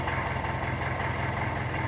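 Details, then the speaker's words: 1954 Ferguson 20 TEF diesel tractor, cold, not yet warmed up: low steady chug at idle, even beat, no obvious hunting; governor now holds it, improved. "And you know yourselves, these engines, they do like to take a good half an hour or so to warm up. So you do expect them to govern a bit until then. But I'm happy enough with that."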